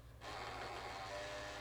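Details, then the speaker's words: PS3 console disc drive with disc inserted upside down: after a brief quiet start, a steady rough grinding whir runs continuously; likely a bad or dirty gear inside, though it still reads discs. "It most likely is just a bad gear inside of here, or just dirty."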